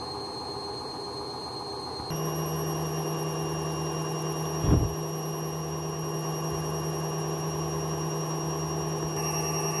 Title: A client just send me this....crazy noise from worn out bearings